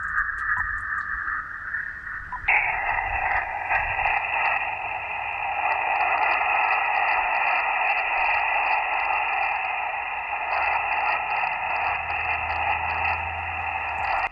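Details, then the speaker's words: Victron SmartSolar 75/15 MPPT solar charge controller heard on an HF ham radio on 10 meters: a steady hiss with fixed whistling tones and a faint pulsing chirp. The RFI wipes out the band and is worse on 160 and 80 meters. "we can argue if Tim meters is any better but really from a weak signal perspective the noise from this charge controller shuts down the entire band"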